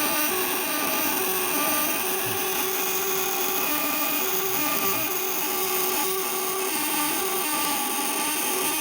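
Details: Vibrator-contact (platina) inverter with tungsten contacts, 1 kg core, rated 200/500/1000 W, on quality test before shipping: constant high electrical buzz with steady tone, no crackle or stutter, contacts vibrating evenly; working normally.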